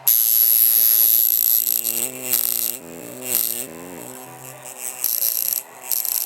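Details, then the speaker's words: Cheap Chinese coil tattoo machine gives harsh, high buzzing that wavers, bogs down and stutters in pitch instead of holding steady; rough, uneven running. "you see that bogging down hell no and it's hitting you can hear my skin do that with this Chinese"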